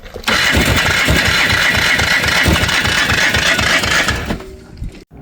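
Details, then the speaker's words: Polaris 300 two-stroke ATV, Wossner top end, non-functional oil injection, new rings wouldn't compress to fit: rapid uneven cranking about three pulses a second, weak catching that fires briefly then dies. "no luck it wants to start but it ain't"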